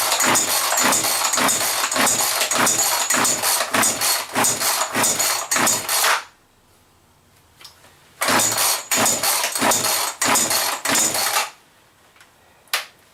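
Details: Chainsaw after cleaning and fresh mixed gas, with a possibly leaking fuel cap: rapid rope pulls with only brief sputters and no catch, so the saw won't fire and run; fuel problems suspected, not confirmed.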